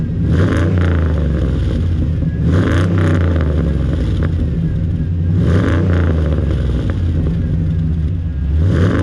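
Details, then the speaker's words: Exhaust note on Luther after new exhaust work: repeated rev blips rise and fall cleanly, deep smooth note with no drone or slapping, much better than the earlier door-slamming sound at about 2500 rpm under load; normal exhaust note. "so what do you think not too bad right I think it's much better than it was"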